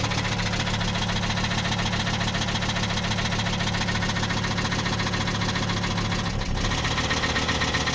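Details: Volvo 850 turbo petrol engine at idle: steady, deep bottom-end knock from a worn rod bearing, not the cams.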